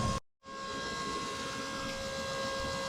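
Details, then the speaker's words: New FASS fuel filter system lift pump on a Ford 7.3/6.0 Powerstroke diesel: steady electric pump hum with clear fixed tones after a brief gap, tone changing as the system fills; normal priming. "All right, it's changing tone right now on the pump, so it's filling"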